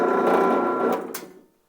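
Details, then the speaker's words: Newly assembled Harbor Freight drill press on its first power-on test, vise just mounted; smooth, even motor hum that winds down cleanly with no rattles or grinding: normal motor run, chuck works. "sounds pretty good. Chuck worked."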